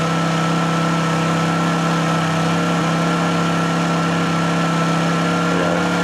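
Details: Honda generator after a choke cold start: steady, even hum with constant pitch and no knocks or surging; normal idle.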